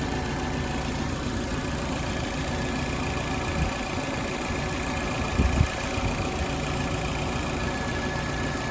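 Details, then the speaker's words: 2016 Nissan Versa SV at operating temperature, idling with AC on cold, AC blowing hot when parked, after new relay: steady idle and even hum but the radiator fan never kicks on with the condenser; fan not running, later traced to fan assembly. "Not kicking on. It should turn on with the condenser. See, that should have kicked it on."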